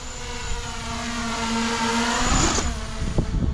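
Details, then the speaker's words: Diatone Roma F7 6S quadcopter on its maiden line-of-sight flight: motors whine with wavering, uneven pitch and surging throttle, sounding rough and oscillating; owner suspects it needs tuning, possibly bi-directional DShot switched off or tune set for a different lipo. "Wow, damn. It really sounds very, very weird. Alright. But it does fly."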